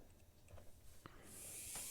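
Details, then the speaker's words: 1950s Olympic Express HO B&O GP7 locomotive motor bench-tested after oiling its seized bearing: clicks, then a thin steady high-pitched buzz at about half power with torque to spare; motor spins freely and runs normally, commutator not yet cleaned. "no problem that's with about half power and uh still got some torque left in it too so this is a very healthy motor um despite being locked up like that so that's wonderful to see"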